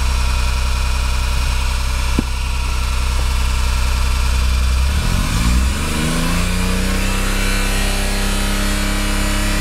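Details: Rough, uneven idle, then revs climb and fall with a harsh noise riding on the engine; compression checks out, timing correct, VTC solenoids operating correctly, cause still undiagnosed — abnormal engine noise.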